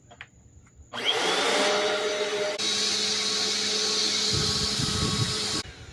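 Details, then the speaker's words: Black and Decker BDLCE101 vacuum cleaner after belt replacement and cleaning: motor spins up to steady even high whir with constant tone, no rubbing or slapping; normal running. "It's definitely spinning."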